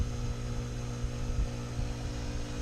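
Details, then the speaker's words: Pool pump and filter after spring opening, just backwashed: earlier popping and whistling stopped, pressure back to normal starting about 16; steady low even hum, no popping or surging, normal running. "I back wash the filter and turn it back into pool filtration condition that noise has stopped popping sound anymore pressures back down to normal starting pressure fools about 16"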